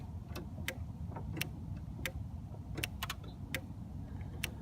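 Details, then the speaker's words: Toro Wheel Horse 270H hydro tractor (about 1000 hours) with a no-start in cold weather: sharp, irregular clicks over a low idle rumble as the brake is worked, showing the brake interlock switch operating correctly. "that switch is working correctly I didn't want to get really deep into checking everything with a voltmeter"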